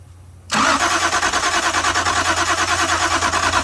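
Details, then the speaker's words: Toyota Supra after sitting since 1995, spark tester hooked up during cranking: steady starter whir about three pulses a second, no catch; no ignition spark, ground okay, owner suspects a fuse issue. "All right, no dice. No spark. Ground looks okay. We got no fire, guys."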